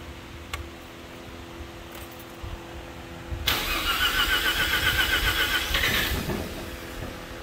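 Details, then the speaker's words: 1986 Mazda RX-7 rotary, sat since the mid-1990s, ugly old fuel partly drained, fuel-rail clamp replaced: slow cranking, then a rough buzzing run for a second or two that fades out; starts briefly then dies, cause unconfirmed, fresh premixed fuel planned. "Almost. Almost. It'll run for a second, and then it just toots out."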